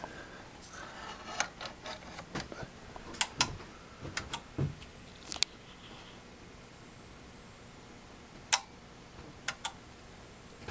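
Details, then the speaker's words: Samsung 42-inch plasma TV HP-T4264, back cover off: after two loud pops at switch-on, sharp relay clicks, often paired, at irregular gaps and the set never starts; capacitors look fine. Power supply clicking and cycling. "it suddenly when turned on had two very loud pops and then started clicking and cycling it was ongoing and it just never comes on anymore"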